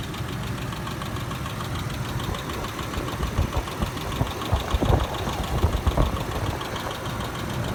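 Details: 2007 Ford Explorer Sport Trac at idle: uneven sharper knocks surfacing over the engine hum; knocking noise, cause unknown.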